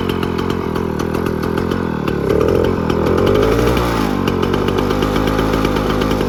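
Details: 1957 Jawa 550 two-stroke, just repaired and started; crisp, busy crackle that picks up with a couple of throttle blips and settles back smoothly, running clean and healthy.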